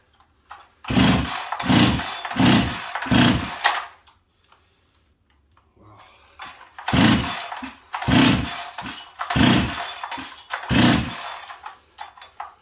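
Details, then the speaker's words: Husqvarna 385 chainsaw that sat on a shelf for years: fuel poured into the carb, quick pull bursts, fires briefly then dies. Owner suspects a fuel issue or the fuel line, possibly flooding; cause unconfirmed. "I think I probably just flooded the living with Jesus out of this thing get fired though that's a good sign okay nope she's dry okay well so we have a fuel issue"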